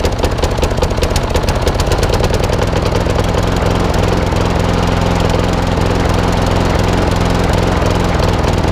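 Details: Old Masport lawnmower with a Briggs and Stratton engine, after a full service: rapid chugging idle with a loose, uneven beat and occasional skipped firing; owner suspects the carburettor needs cleaning again, possibly the coil too.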